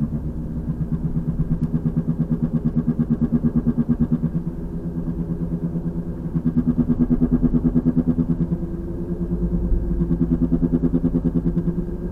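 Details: 2003 VW Passat FWD, 180,000 miles, driving: a low boom-boom thump about three times a second that speeds up with road speed. It is louder when steering loads one side. It began 2–3 weeks ago and is worsening. The passenger CV boot is torn.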